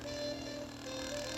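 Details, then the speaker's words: Friend's DVD player, drive mechanism tested on a bench power supply: thin, wavering mid-pitch squeak that comes and goes while the drive runs; the mechanism is dragging with friction. "I'll test it with my with my um power supply just to figure out why it was making that noise."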